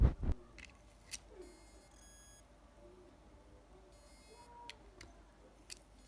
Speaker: I've connected the hard drive and there is a sound coming from the inside of the drive. If the platter inside fails to spin, there will be that sound.